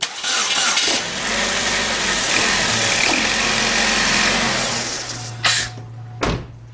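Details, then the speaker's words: 2010 Chevy Malibu 2.4 with a no-start and no injector pulse, after a broken wire was found and repaired; the engine catches right away and settles into a smooth, even idle. "it starts up and run we have fixed the job or found the open not a short"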